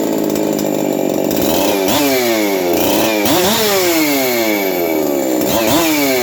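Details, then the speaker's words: Husqvarna 372XP chainsaw, roughly tuned, on a bench run with good compression: high-pitched revs climb and fall back about four times with a harsh rattly edge. The noise is the needle bearing on the aftermarket clutch drum. "he you can hear how noisy that uh clutch drum is"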